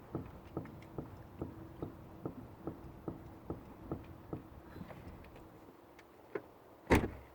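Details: Mazda 6 GG with sharp, hollow knocks about twice a second, then one heavier clunk; a suspension knock whose cause is not found.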